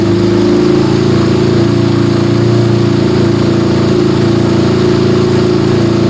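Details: Yamaha Scorpio single-cylinder after tune-up (valve adjustment, carburetor cleaning, new intake manifold, oil change): smooth even idle, steady low beat, no knocks or misses, smoother after valve adjustment, air screw about 1.5 turns; normal idle.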